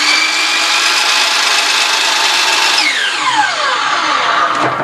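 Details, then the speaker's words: 12-inch DeWalt miter saw after replacing the armature bearing, switch and belt: high motor whine climbs smoothly and winds down evenly, with no rumble or grinding; it sounds like new. "Sounds like a brand new machine."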